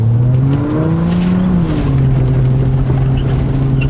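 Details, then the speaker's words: Car with rolled fenders, all-wheel drive: a steady squealing tone that wavers in pitch during hard, fast turns, likely tire rubbing; the noise persists after DIY fender rolling meant to cure it, cause uncertain. "Alright, so the reason why I had to roll them is because my vehicle would, whenever I turned really fast, it would make a ridiculous squeaking noise."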